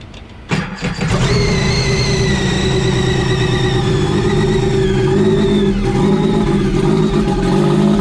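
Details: Brian's freshly finished Stage 3 Sea-Doo RXP starts, not yet dialed in. It catches quickly, then settles into a strong, even run with a clean supercharger whine. It sounds healthy.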